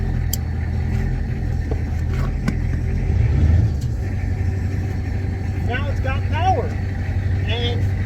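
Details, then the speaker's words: 1985 Ford F-350 with 6.9 IDI diesel, high idle solenoid wired to a toggle switch: steady, even clatter held at raised speed without stumbling or hunting; high idle engaged and holding. "you can hear that it's high idling"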